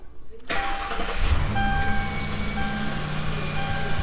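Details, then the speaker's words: $900 Mercury Grand Marquis bought as a no-start, first start after pressing a flashing switch in under-dash wiring the owner assumes is a remote starter: brief crank, then it catches at once and settles into a steady, even idle. "nice try tim [Music] and it started up so"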